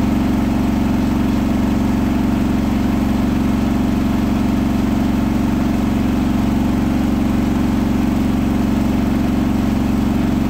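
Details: Hotpoint washing machine on its final 1400rpm spin: a rolling bath sheet passed the balance check, then was thrown to one side. The result is a loud, steady spin roar with a heavy rhythmic throb, an unbalanced drum.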